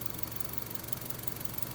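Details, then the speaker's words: 2005 Honda Civic 1.7L idling evenly with a low steady hum and no tapping once the purge valve is disconnected, confirming the bad purge valve as the source of the tapping noise. "now if i'm correct if i disconnect the valve the sound should go away"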